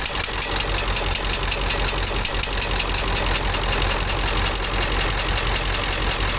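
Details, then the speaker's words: Ford F350 dually 7.3 Power Stroke diesel after replacing a bent pushrod: steady idle with even light clatter, no miss or tapping; sounds normal. "let's start it up and see if it's any better. Sound better, but looks like everything's working right."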